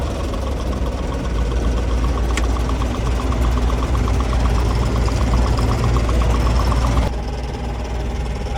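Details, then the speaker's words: Farm combine diesel idling with a steady heavy drone and a light, fairly regular tick about four times a second; the owner cannot find the source, has run it this way for 3 years with no problems, and is living with it. "It's always done it. I can't find the source of it to stop it, so I just kind of have to deal with it. After 3 years of running this machine like that, it's never caught on fire."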